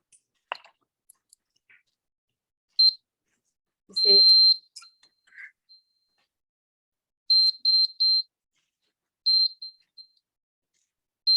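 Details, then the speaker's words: Altimeter powered on via the rocket's external screw switch with battery wired in: high, clear beeps in short groups with gaps, the normal power-on status pattern of a barometric-only altimeter, simulating launch-pad setup. "so if you can hear the beeping that will be a pattern from this aim extra and you need to memorize what the pattern should be"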